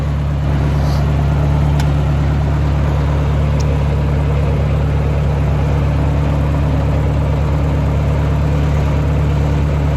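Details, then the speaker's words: 1958 Ford 871 Powermaster Select-O-Speed tractor after ignition parts and restoration, started in park: starts right up into a steady, even low rumble with no knocks or misses; normal idle. "I'm going to go ahead and fire it up. Let's see here in park. And starts right up."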